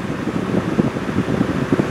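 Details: Honda truck at about 990,000 miles after replacing a failed A/C relay (compressor previously not engaging, blowing hot): steady rushing vent air with soft even fan hum, no cycling or odd noises, vent temperature around 55°F; normal A/C airflow.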